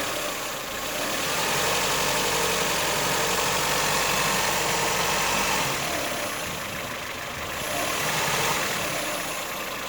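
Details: 2008 Ford Fiesta 1.4 petrol: distinct knock about four per second at idle that smooths out as revs rise and returns gradually as they fall back to idle; cause not determined.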